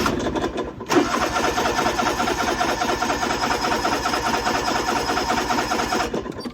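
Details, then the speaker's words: Riding lawnmower from about 1998 or 1999, before spraying brake cleaner into the carburetor intake: about five seconds of steady, uneven starter chugging with no catch; engine cranks freely but won't start. Cause suspected, not confirmed. "As you can see, it don't want to start."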